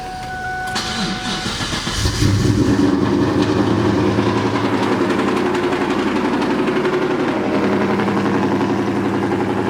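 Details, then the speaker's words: Engine with a suspected bad cam phaser and timing out restarted after about 20 minutes; idles fine with no knocking or ticking, but a loud, fast bee-like buzzing tick comes from its 1050x ID injectors. "see the car idle is just fine you come over here no knocking there's no ticking now that sound that you hear is like pretty loud that almost sounds like a bee like uh you know like a i don't know like a flyer of me those are my injectors"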